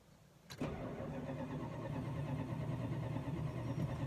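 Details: Chrysler that wouldn't start while cars were being moved around: starter cranks in an even chug around three beats a second but the engine never fires.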